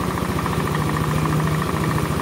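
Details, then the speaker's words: Older Honda Beat scooter with rough engine noise and smoke burning oil, after valve seal and ring work and reset: rapid, even knocking at idle from the bottom end, worn connecting rod/bearing knock, most audible at very low rpm. "nah ini teman-teman ada suara otok-otok suara otok-otok ini adalah suara stang"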